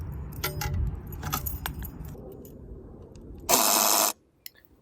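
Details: 2018 Honda Civic Sport CVT buzzes when locking: keys jangle, then a harsh, steady electric buzz of about half a second as the car locks, from a failing fuel lid lock actuator (part 74700-TBA-A02), fixed by replacement.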